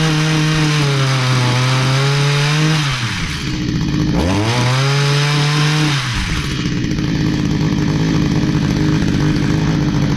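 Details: Stihl HS45 hedge trimmer, long unused, two-stroke started after priming with fresh fuel and a new air filter following a customer tune-up: buzz hunts up and down, dips and struggles, recovers to ragged high rev; runs rough, needs more work.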